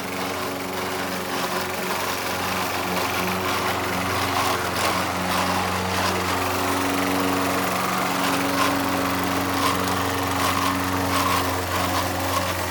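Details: Old Toro Recycler mower with bad transmission, mowing under steady load while driving forward: high-pitched engine with rough gritty undertone from the worn drive transmission.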